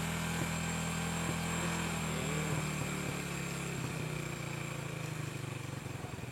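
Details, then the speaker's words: Motorcycle with new carburettor that kept dripping fuel, now air screw properly adjusted from fully closed; smooth even single-cylinder idle with steady beat, no stumbling, no fuel drip while running; normal idle. "Nah, ini kan langsamnya enak, ya kan? Enak kan? Enak dong."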